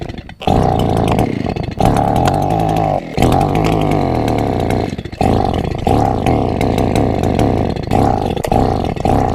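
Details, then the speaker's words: Borrowed chainsaw not run in years, repeated start attempts: saw catches and revs briefly, then dies and restarts several times in ten seconds; won't stay running, cause unclear. "It definitely hasn't been run in years, and every time I thought I was ready to start it up, something else was wrong with it."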